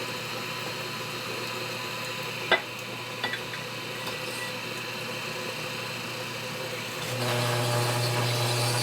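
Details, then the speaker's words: 1947 Harley-Davidson EL 74ci Knucklehead welded case being machined. A steady machining hum grows louder and heavier as the cutter bites deeper into the undersized bore, loading up as it goes in. "You can hear how it cuts more as I go in."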